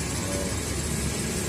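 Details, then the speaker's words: Toyota Kijang Kapsul after replacing the failed belt tensioner bearing (cause of front-end noise at start) with a new genuine Toyota part: steady, smooth low idle with no squeal, rattle or knock, quiet like new. "Bagus, halus seperti baru kembali."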